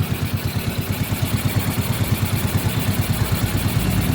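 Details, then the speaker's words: Yamaha Mio M3 scooter with a dirty throttle body and a previously tampered stopper bolt: idle thumps about three per second, uneven and creeping up, won't settle; cause suspected in the throttle body/ISC area or ECU, unconfirmed; unstable idle. "Dan sekarang sudah mau langsam, meskipun tidak stabil."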